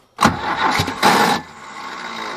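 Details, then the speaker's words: Cheap 4x4 man-lift with a diesel engine that had been parked: a burst of cranking, a sharp catch, then a brief surge that fades without running; it catches on one cylinder, and lost fuel pressure is suspected. "it's catching on a cylinder I don't think we're getting fuel pressure here it seemed like it was working at first there but now it doesn't"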